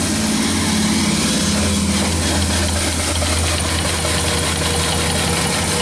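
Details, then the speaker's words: Wood/coal-fired steam engine with rare fly-ball governor on 16"x38" boiler, pop-off valves set at 110 lbs, good draft without blower: steady, even chuff and hiss with low hum, no knocks or uneven beats; engine runs good. "engine runs good this one has a Fly ball governor on it rare"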